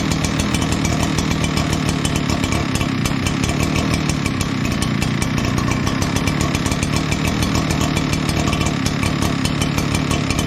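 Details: Echo PB9010T backpack blower after annual maintenance (new spark plug, air filter, fuel filter), refuelled, primed with the primer bulb, about 50°F outside: steady, high-revving two-stroke buzz, even with no misses or surging; running smoothly.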